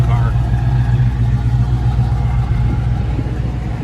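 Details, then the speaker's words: 1967 Ford Mustang GT350-style replica, 289 V8 with automatic, restored, from Arizona: fires right up with key and a couple of pedal pumps, then deep, steady idle burble with even exhaust pulse, no knocks or misses. Normal idle, good compression. "so key in couple pumps fires right up very very reliable listen to the motor"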